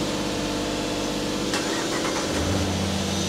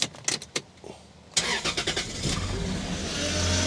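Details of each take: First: 1995 Lexus SC300, 230k miles, after a temporary wire-nut wiring repair and 15–20 minutes of running: smooth, quiet, even idle with no misses, a little fast, possibly the idle air control motor; normal idle. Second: 1995 Lexus SC300, about 230k miles, that runs then dies, restarted after reinstalling the distributor rotor: cranks and catches into idle with a steady droning whine from a noisy power steering pump.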